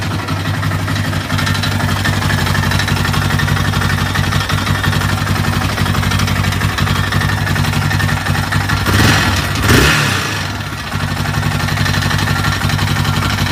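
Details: Yamaha Raptor YFM 660R single-cylinder idling: steady rapid tapping over the exhaust beat, swelling briefly with a blip; engine knock.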